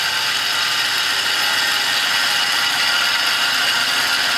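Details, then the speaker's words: 2004 Toyota Tacoma 3.4 L V6 5VZ-FE, engine running, heard at the AC compressor belt tensioner pulley: loud, steady, hissy metallic grinding with a fast ratcheting texture, carried through the metal; the pulley bearing is shot, not the water pump. "This compressor, it's an AC compressor belt tensioner pulley, must be completely shot because the noise is audibly coming from here."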